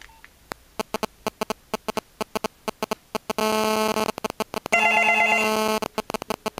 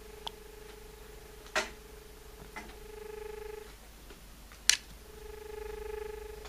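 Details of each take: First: Australian landline ringing after a call from a digital mobile phone: a steady rapid ticking buzz, about three pulses a second, under the double ring tone, caused by the phone's radio signal getting into the audio circuit as interference. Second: Australian landline dial tone with the handset held right in front of the microphone: a steady low humming tone with a couple of handset clicks, normal; it lasts only 15 seconds before a beep-beep dropout signal.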